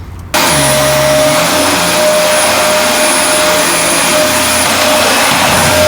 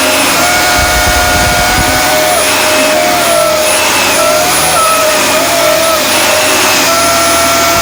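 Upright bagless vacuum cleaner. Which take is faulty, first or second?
second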